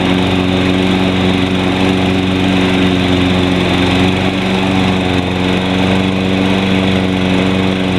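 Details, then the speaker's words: Toro Personal Pace 20333 Spin Stop mower, 190cc Briggs & Stratton, sold as non-running, started after cleanup, blade engaged: steady, even drone at constant pitch, no misses or knocks; healthy, carburetor leak still watched. "There we go. Engage the blade here. Sounds good."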